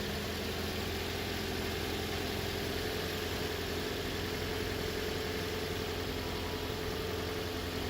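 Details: 2014 Toyota Corolla LE 4-cylinder idling with new battery fitted, while checking alternator output at the battery terminals (alternator good): steady, even idle with smooth low hum, no knocks, misses or squeals. Normal idle.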